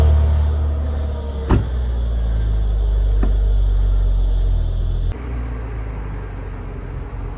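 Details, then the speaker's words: 2002 Audi A4 V6 on its stock exhaust, last cold start before a resonator delete. Deep, even exhaust rumble settling into a steady idle with a few brief clicks and no knock or misfire; normal cold start idle. "You're about to hear the final cold start of the Audi with its stock exhaust system."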